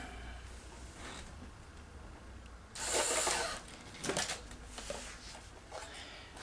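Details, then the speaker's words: Sony SL-HF900 VCR, long unused, with sticking solenoids and bad idler motor board capacitors: quiet motor whir then strained mechanical burst and clicks as it tries ejecting the tape while still threaded. "no don't pull out she's trying to eject the tape when it's not even unthreaded it nope don't do that"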